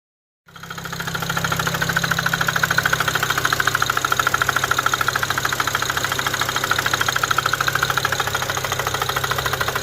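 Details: Car after cleaning intake valves and throttle body, used high-pressure fuel pump, new intercooler and fuel pump sensors, heard back at the garage after a test drive: sharp, even knock about 160 per minute over idle, apparently driver-side front; cause unknown.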